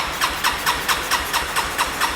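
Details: Broken Yamaha four-wheeler started on a jump box after electrical work: slow, even chuffs about four or five a second from a small single that catches but can't keep running; owner then wonders if fuel is reaching the carb; runs briefly then stalls.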